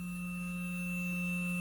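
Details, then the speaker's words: Small DC motor switched on from an almost 12 V source through a relay circuit, light also on; steady low hum with a thin constant whine, no wavering or clicks; normal running. "if i close my switch you can hear the motor is running"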